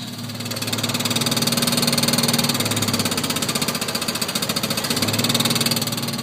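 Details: 1986 Chevy S10 2.8 V6 idling: light, fairly even tapping about four per second over a buzzy hum, like a card in bicycle spokes, too light for rod knock; changes with clutch pedal, owner suspects worn clutch, unconfirmed.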